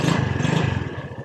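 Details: Kickstart-only Honda Beat that died when sat on, with no spark at the ignition wire, after repair: quick, even putter easing down smoothly with no misses; it runs normally.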